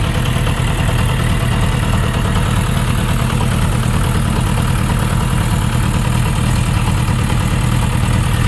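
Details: Suzuki RF900 motorcycle idling: dense rapid ticking knock over a low steady rumble; owner unsure of the cause, with connecting rod bearing clearance suggested as a possibility; not confirmed.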